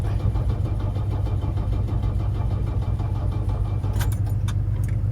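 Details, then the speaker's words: Mercedes diesel engine in an S-10 after fitting a bigger rebuilt turbo: heavy even cranking about 170 per minute, never fires; crank no-start despite refilling and priming. "All right, guys, I've been trying to start this thing forever, like a couple of days now."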